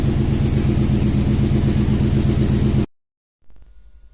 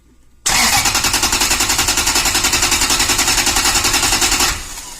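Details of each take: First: Rough idle with a steady stumbling beat on a Toyota Tundra V8 with about 282,000 km, from a used car lot after sitting a long time; misfires are counting on cylinder 3 from a failed ignition coil. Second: 2012 Toyota Tundra V8, about 282,000 km, automatic in park, cranked via jumper on starter relay: even steady cranking chug, compression sounds normal; misfire codes, later traced to failed ignition coil on cylinder 3.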